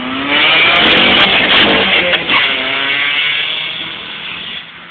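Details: Nissan Sentra Spec-V with exhaust leak: raspy, buzzy exhaust rising and falling with revs, sharp tinny edge, sounds like a Honda.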